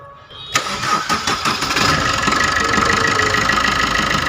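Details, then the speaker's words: Maruti Suzuki Dzire diesel start after fixing loose fuel temperature sensor coupler (damaged O-ring) on the fuel filter: cranks briefly, catches, steady idle with no 3-second start knocking. "सकते हैं दोस्तों कोई समस्या नहीं है, कोई problem नहीं, तो अपनी प्रॉब्लम सॉर्ट आउट हो गई है।"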